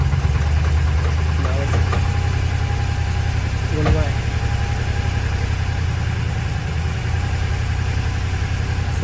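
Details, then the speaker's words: Cheap used Mercedes at idle: deep idle with faint uneven knock three to four times a second, lifter-like but deeper than typical lifter tap, and it disappears under load; source unknown. "Normally lifters make a high pitch tap tap tap tap tap tap tap tap noise. This is more like a [Music] sounds like lifters."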